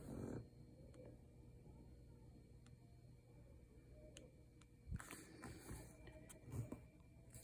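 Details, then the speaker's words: Disconnected EarPods in a quiet room: faint sharp isolated ticks every second or two, then handling noise; owner suspects the microphone picking up a static signal; unexplained intermittent clicking that later stopped. "it's the earpod i don't know it's making these weird noises listen to it if you can hear that if that's the microphone i don't know i must be grabbing some sort of static signal over there"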